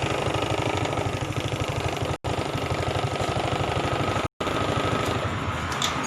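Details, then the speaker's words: Honda Supra X 125 fuel-injected single-cylinder that was hard to start and wouldn't idle; after raising the fuel pump pressure, it starts and idles on its own with a steady, even putter, no misses or hunting. "ah ah motor sudah bisa distater ya"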